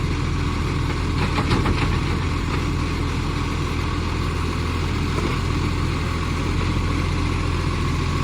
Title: Millicent Commercial Garbage | SL01074 With A Mad Exhaust Leak |